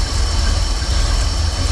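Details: 1988 Chevy Camaro IROC Tuned Port Injection V8 low, lumpy, wavering idle that stalls with slightest throttle; with computer advance wire disconnected timing reads steady at 6, suspected that computer advance should jump to 12 and smooth the idle.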